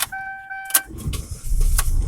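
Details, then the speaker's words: Chevy Impala that would not start with the security light on, after a cut wire was reconnected: a brief chime, then the engine catches and settles into a steady low idle that keeps running; clean start. "frente y al carro y ya se mantiene prendido en la y funciona todo funciona"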